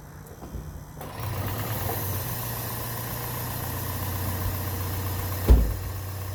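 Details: Toyota Prius Gen 2 1.5L hybrid with codes P3190, P0A0F, P3000, P0A80: engine turned over at a steady even speed with a low rumble but never fires; spark and injector pulses confirmed present. Cranking without starting.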